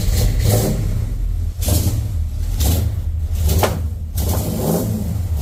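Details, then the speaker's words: 1989 Dodge D100 318 V8 with new headers and Borla exhaust, truck not yet tuned: loud exhaust blips up and drops back with sharp pops and cracks, later stalled; backfire on revving, owner suspects poor tune. "I don't know why it's got that weird little backfire sound to it when I rev it up, but I'm gonna guess that's because I don't have the truck completely tuned up yet."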